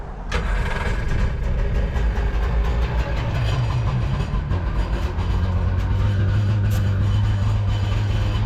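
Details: Jet boat two-stroke with rebuilt carbs, running on garden hose cooling water: steady low, even burble at constant idle, no knocks or misses; engine running smoothly.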